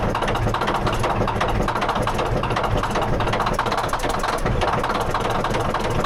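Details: D9H dozer diesel at rough idle with a hard, rapid metallic rattle and hammering; deep internal knock, cause not identified.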